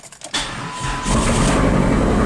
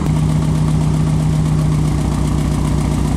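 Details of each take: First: Chrysler PT Cruiser GT, long-sitting, first start after replacing a blown ASD fuse, on a jumper pack; short crank, catches within a second and settles into steady, even run. Starts normally, though a misfire remains, sounding Subaru-like. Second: PT Cruiser GT first start after long sitting, jump-started following a blown ASD fuse electrical fault: uneven, lumpy idle with irregular stumble, owner says it still has a misfire; cause not confirmed.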